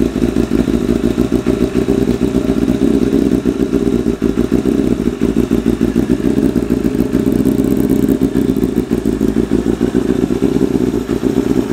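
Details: 1988 Kawasaki ZXR250 road bike, first start of rebuild: lumpy, uneven idle with clattery, stumbling firing throughout; running ridiculously rich, idle mixture set 3.5 turns out, shot flames.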